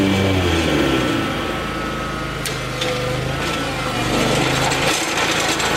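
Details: Lawn tractor cutting grass after electric fuel pump fitted to fix persistent fuel problem; steady engine drone at even speed with blade and grass rasp over it, running smoothly under load.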